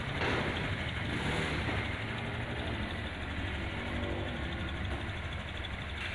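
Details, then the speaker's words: Honda Scoopy 2021 scooter, reassembled after engine teardown for a rough sound: low, steady putter at idle (Honda standard 1600–1700 rpm) with no knocks or rattles; engine running smooth and healthy. "Oke teman-teman ini setelah selesai dilakukan perakitan untuk Scoopy 2021 nya itu halus teman-teman ya untuk RPM standar motor matic Honda itu 1600-1700 FM dengarkan teman-teman"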